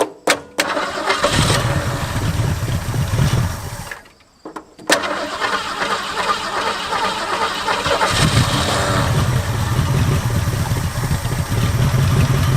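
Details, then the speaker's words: 1967 Mustang barn find V8 with good compression, on its Motorcraft carburettor: cranks, catches, stumbles almost to a stop, then surges into a lumpy, hunting idle; hard to regulate, so they decide to swap to a Holley 2-barrel. "man this is really hard to regulate with this thing well carburetor yeah let's swap a carburetor on this thing let's do it"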